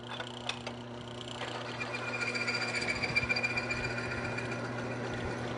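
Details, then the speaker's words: Lubrication test rig running base oil with about 3 to 5% Power Up additive: steady even whir with soft fast ticking, no harsh grinding, much quieter; quiet, well-lubricated running. "Now you can hear that this has already quieted it up significantly, and we have perfect lubrication between these 2 metal surfaces."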